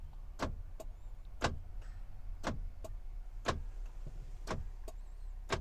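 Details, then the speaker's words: Iveco Daily van with a central locking fault, unlock actuation test run from a scan tool: sharp, even clicks about once a second over a low hum. Door lock actuators clicking normally. "so you can see the actuation there was carried out successfully and you could probably hear the the door lock actuators clicking on and off"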